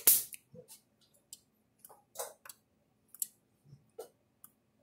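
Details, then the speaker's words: Universal 6000 solid-state electric fence controller, older model in for repair, powered from a bench supply and switched on: faint, sharp clicks as each high-voltage pulse goes out, normal operation, with a small light flashing. "a little light flash not very loud and he's not off so it's not allowed me it clicks but you can hear it clicking along there a little bit"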